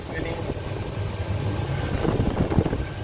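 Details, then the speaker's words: Chevrolet S10 Blazer at steady low idle right after replacing the belt tensioner, idler pulley and serpentine belt, AC off; the earlier pulley whine is gone and the belt drive sounds healthy. "I can't hear that little one that little whining noise anymore"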